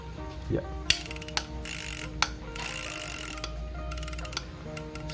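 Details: Shimano Amberjack 7000 fishing reel, old, turned by hand after greasing and reassembly during a service. Light, even ticking and a smooth gear whir with no grinding or catching: gears meshing normally.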